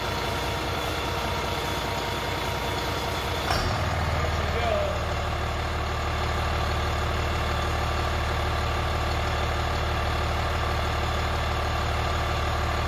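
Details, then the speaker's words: Volvo Penta D6 marine diesel with the MPROP high-pressure pump valve unplugged: steady idle, then a sharp pop near four seconds as the fuel rail pressure relief valve lifts and rpm rises toward about 1000; failed MPROP or its circuit. "okay so you definitely can hear that change when it pops off at idle so if you had one and you started it up and it makes that sound the alarm goes off the uncropped makes that noise then you have an improv failure or the circuits bad or the driver needs you"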